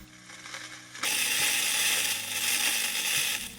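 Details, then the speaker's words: Nordmende 116A Clou radio cassette recorder after replacing the drive belt: key clicks in, then steady even whir of spooling tape, no squeal or slipping; winding, rewinding and play all work properly. "Como se puede apreciar, toda la mecánica funciona perfectamente, el bobinado, rebobinado y el play."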